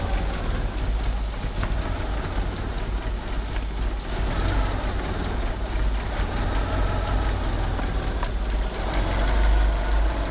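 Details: Car fitted with 850cc injectors, at idle: a loping low idle that stumbles and surges irregularly, with a slipping power steering pump belt. The car won't rev up. Rough idle, cause not pinned down.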